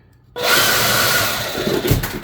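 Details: Ryobi leaf blower with a regular brushed DC motor, not brushless, hence its different startup sound: sharp start into a steady high airy roar that holds even, then tapers slightly; running normally.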